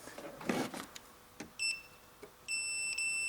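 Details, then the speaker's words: Car or truck fuse tested with a Fluke T150 voltage tester, probe tips on both sides of the fuse: clean, steady high-pitched beep held about a second, twice, after probe clicks; continuity present, fuse is good. "And now I start this my testing in this area in here, and now I install this my testing these sharp points in the sides areas, and when we hear sound then everything is okay."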